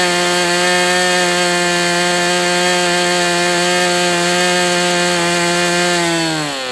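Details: MDS 68 FS Pro engine during break-in at operating temperature, still tight with high pinch: high steady buzz at constant speed, easing down in pitch at the end; running cleanly, better than with the idle bar plug.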